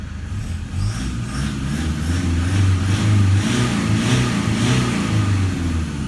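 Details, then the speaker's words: 2012 Toyota Hilux Vigo diesel at 276,000 km with injectors believed never changed: clean, smooth revving with no rattle or clatter at all, no smoke; one of the quietest Hiluxes, injectors healthy. "can you hear it is just clean engine revving no rattle at all whatsoever is it even really a diesel"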